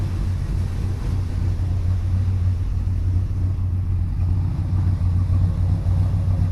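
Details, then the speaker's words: 1971 Chevelle V8 just after a Crane Gold roller rocker arm swap and adjustment, AC belt not yet tightened: smooth, even idle with low rumble and no top-end ticking or clatter; valvetrain quiet and healthy, much quieter than before. "I just got the belt on there I wanted to fire it up and make sure everything was kosher with the adjustments and everything seems to be. Sounds good."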